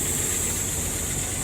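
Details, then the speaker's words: 1978 Ford F100 pickup with 300 straight-six and floor four-speed, just bought: even, steady idle with a smooth low rumble, no knocks or misses; engine and transmission judged good, normal idle. "the engine and transmission is definitely good yeah overall i'm happy with it"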